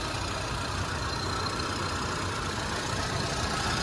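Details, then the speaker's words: 2001 Suzuki Katana 4x4, hood open, rarely driven far, only used around home: quiet, even low rumble at idle with no knocks or ticks, still very smooth; normal idle. "Suaranya masih sangat halus di mobil ini karena mobil ini memang jarang dipakai jauh, cuman sekitar rumah aja kalau ini."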